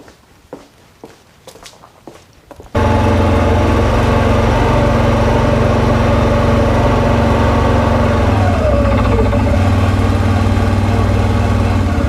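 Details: Sea-Doo GTX DI after bad air injector replaced, weak battery suspected: starts instantly, holds steady even idle with deep low drone, no stumbling or misfire; running healthy.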